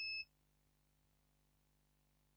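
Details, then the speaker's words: HP Pavilion G6 laptop, no display with three beeps, board repair: multimeter gives one short high beep on continuity across a capacitor; the capacitor is shorted. "the capacitor is shorted and I'll check I think yeah this one is shorted this one shorted this one shorted"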